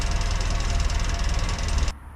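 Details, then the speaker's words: 1956 Land Rover Series 1 109 idling after sealing exhaust flange joint with muffler cement: even deep rumble, much quieter, no hissing or puffing, paper test shows no gas escaping; exhaust leak fixed. "So immediately I can hear that it's a lot quieter. I can't feel anything. So we can't hear that hissing."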